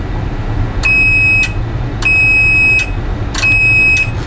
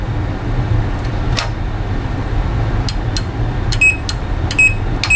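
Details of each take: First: Replacement relay for a Rotel RB-1092 Class D amplifier, whose old relay had burned contacts, on a continuity tester: three steady, unbroken high squeals, each held while the relay pulls in; the contacts conduct properly. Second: Relay removed from a Rotel RB-1092 Class D amplifier (powered, not in protection, no output) checked on audible continuity: tester silent, then short irregular beeps only when tapped; intermittent contacts, relay bad, to be replaced.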